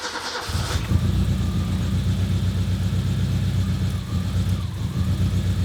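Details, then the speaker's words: Car during a DIY flamethrower kit install: an uneven, lumpy idle with an irregular low throb. It sounds like it is only running on three cylinders; the cause is not confirmed. "Sounds rough. Sounds like it's only running on 3 cylinders already."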